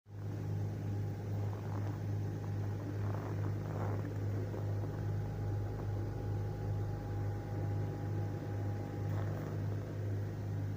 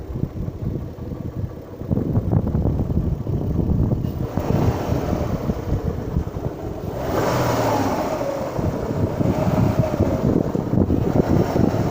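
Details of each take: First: Kia Magentis 2.5 warmed to operating temperature after cold -25°C start: smooth, even idle with no tapping or knocking heard. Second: Kia Magentis 2.5 warmed to 80 °C after a −25 °C cold start, revved up and down: knocking thump on the exhaust note grows louder with revs; owner thinks it isn't a connecting rod.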